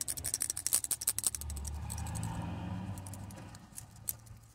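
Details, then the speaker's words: 2007 Honda CR-V air-conditioning compressor clutch relay from the under-bonnet fuse box, shaken by hand, gives quick dry rattling ticks from loose broken internals; the relay has failed, though a replacement relay did not make the compressor engage either. "you a rattle. Not sure if you can hear that, but rattling away. So that's failed."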